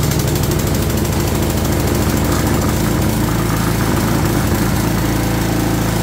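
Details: Craftsman 22" walk-behind string trimmer, bought non-running, first start after cleaning: steady, even single-cylinder putter with no misses or knocks; engine running properly.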